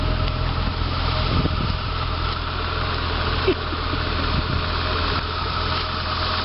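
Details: Diesel on a cold 6 °C (43 °F) fall morning: steady diesel clatter at idle with an even, unbroken rhythm; runs smooth and healthy.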